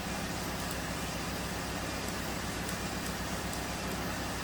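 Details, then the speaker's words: 2008 Hyundai Accent 2.0, diagnosed with a misfire from a failed cylinder 3 coil and worn plugs: on startup it is running fine now, a steady, even idle with no stumble or miss while misfire counters are monitored. "so there's misfire counters in the engine data list as you can see it's running fine now"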